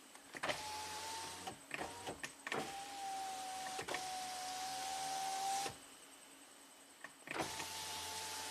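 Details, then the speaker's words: 2007 BMW 328Ci hardtop convertible, after tweaking the rear module bracket so the top module reads closed: front window auto down and up, smooth steady motor whine stopping with a soft clunk and repeating; windows working normally again. "The front windows are working from the buttons. Holy crap! Auto down works. Auto up works. This is crazy."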